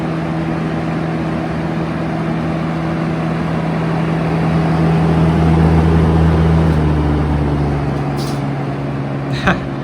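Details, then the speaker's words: 1971 Kel-Aire model 7000 20-inch three-speed box fan, running on high: steady low hum with even air rush, no rattles or scraping; slight shake, good airflow, pleasant sound, normal running. "Not the most powerful in this class, but it's it's plenty acceptable. And also the sound it produces is quite pleasant to the ears."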